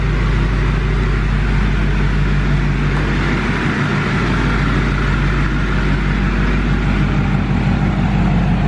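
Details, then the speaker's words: Duramax LML diesel after a long block install, held at a raised idle of a steady 2,000 rpm outdoors for a 5-minute break-in: even, deep drone with no knocks or rattles, and no large leaks. Healthy running at fast idle. "So, that is what we're doing now. Uh, it does sound healthy so far. I don't see any massive puddles on the ground."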